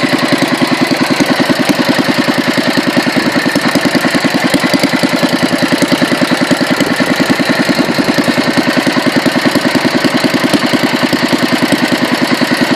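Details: Petter A1 single-cylinder engine after rebuild, second run after fine tuning: slow, very even thump about two beats a second, no misses or knocks; normal running, ran an hour until out of fuel.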